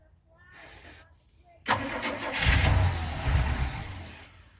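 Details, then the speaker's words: 1985 Winnebago, 454 big-block V8 with Turbo 400, 32,700 miles, sat nearly 17 years, fed starter fluid: starter cranks, engine catches and roars briefly then dies within seconds; cranks and fires briefly then dies, needs fuel. "well she's trying there you go yep that's all she needs is fuel"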